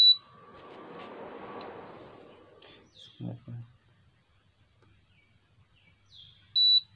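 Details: Induction cooker after E0 error repair, tested before refitting back screws: quiet room, clean short high beep at switch-on and another several seconds later, no repeating error pattern; powers up normally, no more error.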